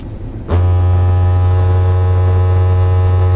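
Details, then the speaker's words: 2014–2018 GM truck/SUV driver's seat left cushion haptic motor, Service Driver Assist System message, DTC B172E/B172F, scan-tool active test; steady even low buzz, no rattle; motor vibrating normally. "So we're going to activate it and see what happens. I don't know if you can hear that, but I can hear it and definitely feel it."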